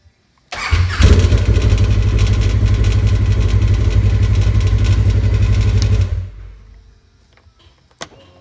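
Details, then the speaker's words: 2015 Polaris RZR 1000 after sprag clutch (one-way starter bearing) replacement: quick clean catch then smooth even run for about five seconds before shutdown; normal start, sounds better than before. "Sounds a hell of a lot better than it ever did."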